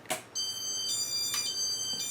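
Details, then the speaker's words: Casablanca Four Seasons ceiling fan, 36-38 inch: sharp high-pitched ding tones about every half second, louder than before, while it won't reverse properly; owner suspects failing Intelli-touch control board, unconfirmed. "god it's reverse and yeah that tone that but those dinging sounds definitely louder than they were before"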